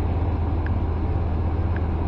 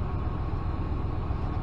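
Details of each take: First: 2014 Dodge Ram with P0207 and P0300 stored, customer complaining of unstable running: low, uneven V8 idle with a soft stumble breaking the rhythm; cylinder seven misfiring while cylinder five appears fine. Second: 2014 Dodge Ram with earlier P0207 cylinder-seven misfire, after clearing codes and resetting adaptive memory: deep, steady idle with an even rumble and no stumbles or skipped beats; not misfiring now.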